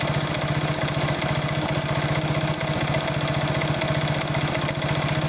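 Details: Irbis Virago 110 motorcycle idling: uneven tapping at roughly two per second over the small single-cylinder idle. An engine knock, source unclear.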